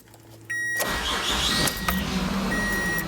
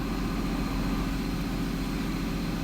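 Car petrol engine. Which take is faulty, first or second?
second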